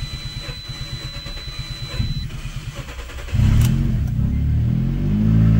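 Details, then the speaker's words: 2015 Fiat 500, codes P0339 crank position sensor intermittent and P0300 random misfire: even starter cranking about four beats a second drags over three seconds before catching; faulty crank sensor can't find top dead center; also hesitation, harsh shifting. "see how long it takes to it's a long crank does not want to start because the crank sensor doesn't know where the where the top dead center is"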